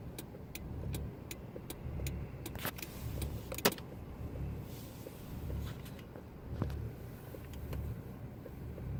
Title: Rough idle 2